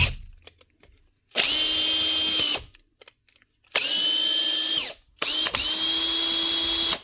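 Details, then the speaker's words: 2017 Makita DHP458 cordless drill after new brushes and gear lever springs (had stopped running and slipped out of gear): three trigger pulls, each spinning up to a clean, steady high whine with no grinding or stutter; running normally. "Change them and she get up and running again."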